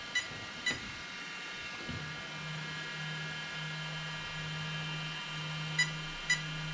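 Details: Arrma Kraton 8S ESC: three short high beeps about half a second apart repeating over a low hum, the sensor loss code; the owner suspects the 2028 motor came apart inside.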